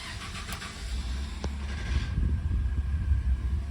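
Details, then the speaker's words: Ford 3.5L twin-turbo EcoBoost V6 truck, 240,376 miles, first cold start in the morning: cranks, catches, then a deep rumble with a loose, uneven rattle, the so-called death rattle. "Guys, today I want to show you the death rattle of the 3.5. This is the first start in the morning, so you can hear it."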